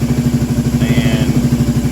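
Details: Kawasaki Prairie 650 ATV after a radiator replacement, with the temp sensor positive lead moved to the gold prong: a steady, even idle thumping about ten beats a second with a soft cooling-fan whir over it.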